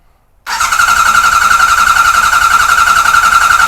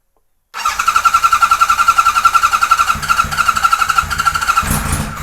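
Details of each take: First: 1978 Kawasaki Z1-R with carbs just installed, coils unplugged and fuel off, cranked only to build oil pressure and shut off the oil light; starter spins steadily with an even whirring whine, no grinding; normal cranking that works. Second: 1978 Kawasaki Z1-R four-cylinder, first start on a stand after carb install, no enricher on: fires and lopes at a slow, uneven idle, then fades and dies after a few seconds; idle speed set too low, needs more idle.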